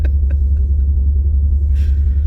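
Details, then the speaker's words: 2005 Mustang GT on a test drive with no mufflers, low-hanging exhaust just ripped off on tree roots: deep, loud, constant unmuffled V8 rumble. "And it's got no mufflers and it's low to the ground. Matter of fact, we just ripped the exhaust off."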